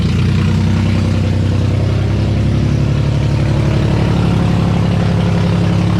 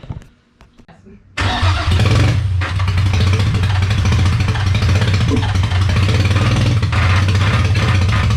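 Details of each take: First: Freshly rebuilt VQ35DE swapped into a 240sx S13, after the vacuum leaks were capped: loud, deep, steady idle through open headers without stumbling or hunting. Vacuum leaks confirmed as the cause. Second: Freshly rebuilt VQ35DE swapped into a 240sx S13, on first start after a battery replacement: loud, uneven, wandering idle. Owner blames many vacuum leaks.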